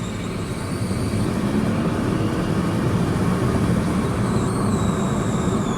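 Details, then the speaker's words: 2014 Kia Forte EX under acceleration, transmission shifting fine, check engine light not flashing: a piercing high whistle-squeal over engine and road rumble that changes pitch with rpm; owner suspects a vacuum leak. "it changes with RPM and it gets so high pitched it's got to be a vacuum leak right listen to that oh my that's that's I I'll be honest that sounds really bad guys that sounds really bad"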